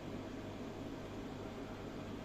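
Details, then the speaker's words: Marine aquarium chiller, just switched on: even, steady hum and fan rush with no knocks or rattles. It runs continuously but fairly noisily; it cools well and held up through summer heat. "Чуєте? Так. От я тільки що включився. Отакий шум."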